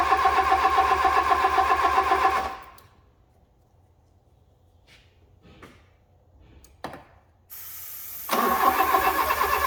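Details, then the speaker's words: Fiat Punto GT that had stopped running, refuelled with fresh petrol because owner assumed it ran out of fuel or had dodgy fuel: it runs, shuts off, then fires promptly and settles into a smooth, even idle. "So we now have a running pretty sweet GT, so pretty pleased with that."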